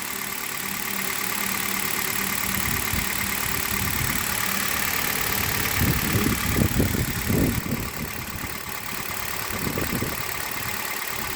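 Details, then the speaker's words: Hyundai Solaris idling cold after more than 2,000 km on Liqui Moly 5W30 and new coil wiring harness: steady and even with no misses, shaking or jerking, only a few soft background knocks. Normal; the owner's reported knock comes when hot. "у меня 14 пробег 29 что-то стопе и четко ровно не тресется не дергается"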